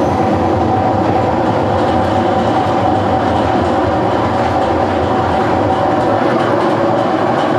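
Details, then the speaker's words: GE washer grinding with a loud, steady, rough rumble and clatter from a bad transmission/bearing that needs replacing. "What I have for you is I have a General Electric washer that has a bad bearing, and this is what it sounds like."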